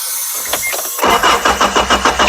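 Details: Isuzu Amigo: starter cranks, then rapid uneven popping bursts about six a second that never settle into a run, plus an exhaust leak; cause unconfirmed.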